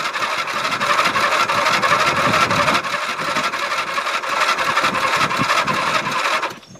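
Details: Dynamark lawn mower, sat unstarted since last fall, tank run dry then refilled with a little fresh gas, battery possibly weak: cranks with steady chugging about six seconds but never catches; hard starting, owner suspects carburetor needs work.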